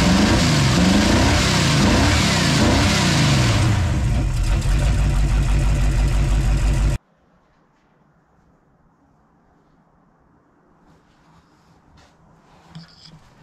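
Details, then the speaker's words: V8 in a $600 scrapyard beater, distributor set on the stand with plugs 3 and 4 wires crossed (firing 1834 instead of 1843): rough uneven revving with bangs out the carburetor on snapped throttle; misfire from crossed plug wires. "I had 1834 that was why it was banging out the carburetor and running like ass when you would snap the throttle"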